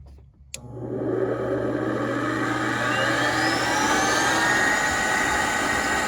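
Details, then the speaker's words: Gas furnace inducer motor spinning up: a low hum rising into a loud whine with a rough, raspy whir; worn inducer motor bearings, replacement needed. "there she goes sounds terrible definitely need to replace it"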